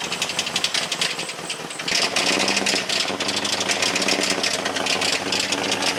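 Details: Jeep TJ awaiting engine rebuild, first start after refueling (non-start was due to no fuel): rough ragged idle with loud uneven knocking and rattling; engine knocking, exact cause unknown.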